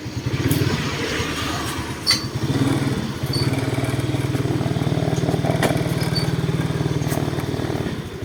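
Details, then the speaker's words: Suzuki Smash FI fuel-injected motorcycle on road test after replacing worn three-shoe clutch that caused jerky, shaky pull-away; steady even single-cylinder putter pulling away and holding speed, no jerks or clunks: runs well, no shaking. "วิ่งดีเลยนะครับผมไม่มีปัญหานะครับผมวิ่งไม่สั่นนะ"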